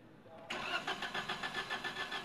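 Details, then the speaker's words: Suzuki Alto: long cranking with even starter pulse, never starts, code P0336 crankshaft position sensor range/performance. "نہیں ہوئی start long cracking ہے اس میں اب گاڑی start نہیں ہو رہی ہے اور کوڈ جو ہے نا یہ اگیا ہے سامنے P zero three three six"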